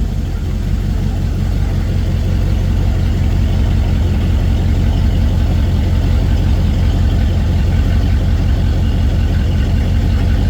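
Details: Chevy 350 V8 square body truck after quick fuel line replacement (new hoses had been squirting fuel, no start): deep, even rumble at steady idle with no misses, knocks or ticks; normal healthy idle.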